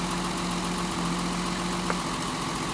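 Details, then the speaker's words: Mercedes 280 SE after new spark plug: steady even idle, then a click as number two lead is pulled and idle drops and shakes like before, confirming the new plug fires; induced misfire. "hear that drop let's do it again there's the drop and here you can see it shaking like it was earlier in this video"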